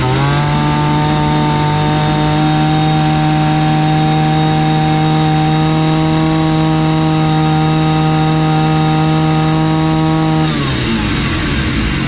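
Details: 60-year-old Husqvarna 65 chainsaw, brittle aged part found, only semi-repaired: strong steady high-revving buzz at even pitch, dropping cleanly off throttle; starts easily and runs nicely.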